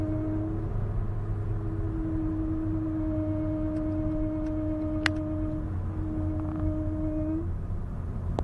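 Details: Honda Civic 1.8, 8th generation: steady mid-pitched hum from the left front wheel over road rumble. It appears only after a longer drive and stops when the brakes are applied.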